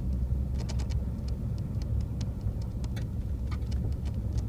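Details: Brand-new 2014 Ford F150 FX2 SuperCrew 3.5 EcoBoost driving, heard from the back seat: irregular light ticking and rattling around the window over low road rumble; source not yet pinned down.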